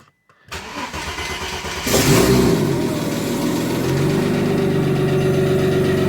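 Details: Audi 2.7T twin-turbo-powered Porsche Boxster, new forged engine, cold start after months with flat battery; cranks, catches, revs briefly, settles to idle with light fast tick following engine speed. Noisy lifter on cold start.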